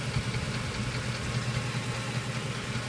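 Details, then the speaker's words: 2007 Ford 5.4L 3-valve V8 truck idling very rough with knocking, ticking, lumpy pulses and shudder; code P0340 persists after cam sensor replacement, owner suspects VCT solenoids or cam phasers; shudder worst at low rpm or under load. "knocking in the engine and usually there's some tick again there's [Music] knocking very rough idle"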